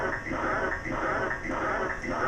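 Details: Sega Enduro arcade machine at power-up; looping warbling electronic tones pulsing about twice a second with no normal game sounds; garbled audio, sound board suspected.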